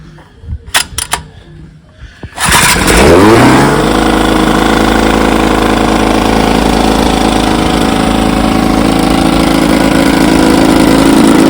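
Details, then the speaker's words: 1954 Evinrude 7.5 HP outboard, restored with replacement power head, in barrel test: pull start, quick rising rev, then steady, even two-stroke buzz with no stumbling or misfires; runs fine. "yep she runs fine all I got left to do is finish the"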